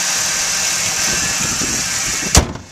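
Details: 14-year-old 1997 Dodge Intrepid, 3.3-litre V6: even, steady idle with a smooth low drone and no knocks or misses, one brief clunk near the end; engine idling normally.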